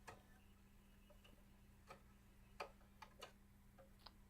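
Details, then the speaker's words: Bose Wave Radio CD player, disc in drive 2 (drive 1 plays fine; drives 2–4 fault): disc spins and reads a few seconds with faint irregular ticks and clicks over a low hum, then shows disc error and ejects. "what's gonna happen is it's gonna read the read the CD it's gonna sounds like it's spinning inside its gonna read it for a few seconds and then it's going to display disc air and then eject the CD out of the drive right"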